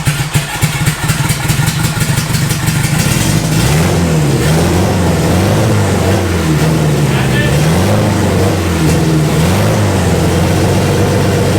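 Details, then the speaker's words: Boosted Honda Integra first start, fuel sat for a couple of years; uneven, hunting revs and lumpy, stumbling idle; known vacuum leak to be blocked off, stale fuel also possible. "uh we obviously know that it's got a vacuum leak so we're just kind of going to block off all"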